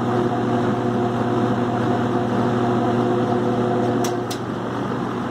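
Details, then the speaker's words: Vintage New Home 20-inch box fan, running with blades after a minor clean and lube: steady droning hum with a rough buzzy undertone, less on medium or low; worn motor bearing. "Alright, here it is with the blades. You can definitely hear the bearing run out there."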